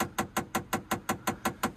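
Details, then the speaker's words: Develon 160 tracked digger that won't start with engine management lights on, ignition on and engine not cranked: sharp even clicks about five or six a second. A stuck air conditioning airflow diverter gate (windscreen/face vents) is clicking, not the starter as first reckoned. "Mechanical clicky noise. That's the air conditioning, that. That's one of those gates stuck that diverts the airflow to your windscreen or your face or your back of your head. That's what that noise is."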